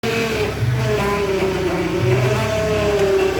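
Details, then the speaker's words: 2006 Ford Transit Connect 1.8 TDCi diesel at idle: wavering whine shifting as the wheel is turned; power steering pump low on fluid after a hose came loose, air in the circuit, refilled and bled by turning the wheel. "¿ sabes lo que es, no ?, falta de líquido de dirección.."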